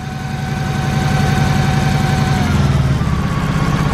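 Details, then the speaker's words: Turbo Honda Civic EK: lumpy, uneven Subaru-like idle that worsens as each injector is unplugged, except one whose unplugging changes nothing. Misfire from that clogged fuel injector; circuit ruled out. "that's because one of the injectors is clogged on this thing"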